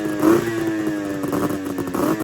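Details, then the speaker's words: 1999 Arctic Cat ZRT 600 triple snowmobile, sat over 20 years, on a temporary electrical setup with airbox off: steady buzzing two-stroke note holding even revs, starting on its own; normal running. "Well guys, I've got her to run now and she'll start on her own."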